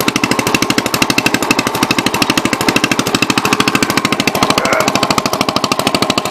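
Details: 1963 Cub Cadet garden tractor on first drive after clutch work, shifter fitted, throttle and choke cables not yet hooked up, driving in gear: crisp, even single-cylinder thumping about three beats a second, steady under load, no misses or knocks.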